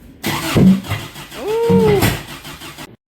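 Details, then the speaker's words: 1990 Isuzu Trooper 2.6 four-cylinder, carb-converted: short cranking with a sharp pop and brief rising whoosh, flames seen; backfire because the distributor was installed incorrectly, 180 degrees out, sparking at the wrong time. "So those flames you were just seeing were because, as some of you may know, the distributor was incorrectly timed, causing our ignition to spark at the incorrect time."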